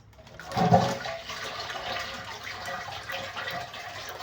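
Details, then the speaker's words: Toilet cistern flushing after an overflowing tank was fixed: strong rush of water by siphon effect, then steady draining swirl with no overflow hiss; normal flush. "Very if you flash, it has a siphon effect. It just pulls the water from here over here down to the toilet."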